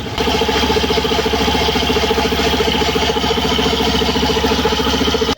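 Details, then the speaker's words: Suzuki Burgman Street EX 125 with the stock CVT belt, idling, microphone moved closer: a coarse tractor-like chatter at three to four beats a second. Once blamed on the torque drive bearing ring, the noise comes from the drive belt. "Yun pala ay nasa belt lang. Yan. Ilapit natin konti mga boss. Parang tunughan tractor sa ganitong belt."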